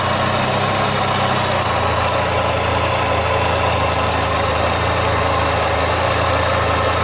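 Steady idle with a faint, fast, regular light knock riding over the engine note; a knock of unknown cause.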